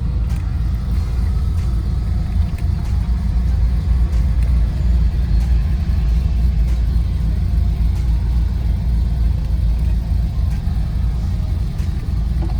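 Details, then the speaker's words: SS car with a cam on its first drive after a mail-order tune, about 30 minutes in, with good oil pressure and temperature and no engine light, heard with the windows down: a deep steady rumble with a faint cam lope; smooth, clean running. "Like I said, she's real quiet, but I can definitely hear the cam. She sounds so good, guys."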